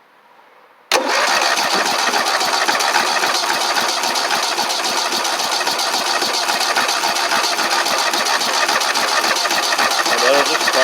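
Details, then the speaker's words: Engine cranked with a Lokithor J400 jump starter during a long cranking session, unit getting warm: steady, strong, even cranking at about four compression strokes a second; normal cranking. "and crank until it gets tired the duty cycle on this is pretty darn good"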